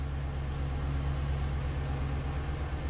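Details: 2013 Chevy Silverado 2500HD after repairing chewed camshaft position sensor wiring (P0340, long crank complaint), no DTCs, CMP signal now present: steady even low idle, no misses, knocks or ticks; normal idle.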